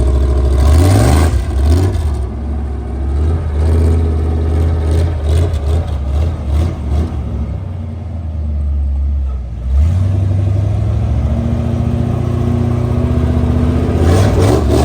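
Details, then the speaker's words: Junkyard big-block Chevy V8 in a mega truck, revving: light, irregular tapping follows engine speed and worsens as it warms up; rockers, pushrods and springs checked fine, at first thought an exhaust leak, consistent with lifters not pumping up. "There was a little tap from the beginning, but as the truck's running, when it warms up, it gets worse."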